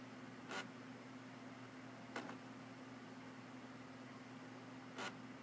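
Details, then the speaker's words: Gateway NVS LED laptop with ATI chipset, powered on with battery charging and power/wireless lights on: steady low hum broken by sharp clicks every couple of seconds as it keeps rebooting, no video on screen. Reboot cycling, no boot. "that the system seems to be in a cycle. Rebooting, we get no video on the screen."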